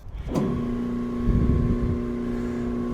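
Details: Agitator motor on a Cool Machines CM2400 insulation blower, after replacing the defective original; the motor spins up and settles into a steady, even hum with a clean constant tone and no knocks or grinding: healthy run.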